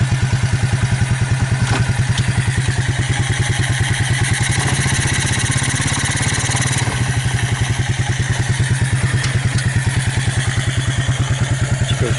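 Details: Abandoned Suzuki KingQuad 300 4x4 ATV after Mikuni to Keihin clone carb conversion: steady, even single-cylinder thump about three beats a second, no misses; purrs right along, clean idle.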